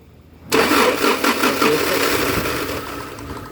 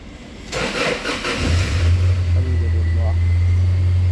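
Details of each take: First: 2011 Toyota Hilux, crank sensor already replaced and wiring checked: starter spins steadily for about three seconds with no firing, no current reaching the ignition coils; crank no start caused by a faulty ECM. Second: 2011 Toyota Hilux after ECM repair, previously crank no start: brief crank then catches at once and settles into a steady, even low idle; normal start.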